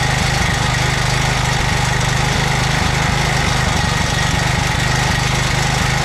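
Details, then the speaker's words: 2007 McLane reel mower small engine after a carb clean, on choke at fast throttle, running on fuel poured into the carburetor bowl with no tank fitted. Catches and holds a fast, even beat with no misses or knocks; normal running. "All right, that was just fuel in the carburetor bowl. Obviously no fuel tank hooked up. That's just what I filled up the carburetor bowl with."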